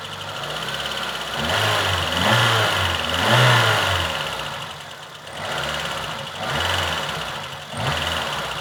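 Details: VAZ 2114 engine: rapid metallic knocking over the engine, growing louder and quicker with each rev; knock inside the engine, source unclear.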